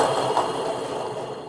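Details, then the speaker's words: 2004 Jeep Liberty: an rpm-dependent grinding at idle was traced to the AC compressor clutch pulley bearing. With the belt off, the free-spinning pulley gives a rough, gritty rasp that fades as it slows; the bearing is badly worn. "that is a very bad bearing bad bearing bad bad"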